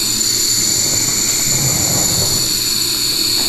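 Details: Kegerator CO2 line at about 10 and 800 on the regulator gauges: steady high hiss of gas escaping at a fitting, spitting when water is poured on; owner suspects a bad seal somewhere, not confirmed.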